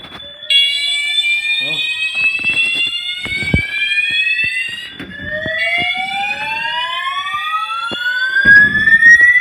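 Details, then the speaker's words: Building fire alarm evacuation signal recorded right beside the sounder during a morning evacuation; very loud rising whoop sweeps at about three per second; the occupant doubts it is a real fire. "Christ, bro. This shit's so [ __ ] loud. This is [ __ ] so loud."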